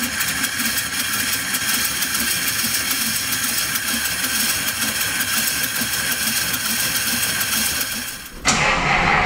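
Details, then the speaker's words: 1950 Pontiac Chieftain straight-eight started after sitting a long time: a smooth, even idle with a steady beat and no knocks or misses after the valves were cleaned; carburetor leaking, float valve possibly stuck from sitting. Normal idle. "that sounds great we've cleaned off the valves and the engine runs well now"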